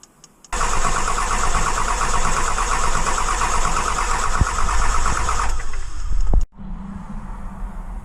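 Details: Dodge 2500 5.9 Cummins (2003+) with nearly 350,000 miles on its original CP3 pump, sat overnight: starter churns about six seconds without catching; weak CP3 loses prime, starting hard after sitting but running fine once started.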